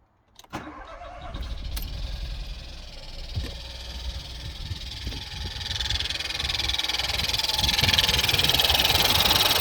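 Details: Ford 1.0 EcoBoost right after a cold start: quick, steady light tapping over the idle, growing louder.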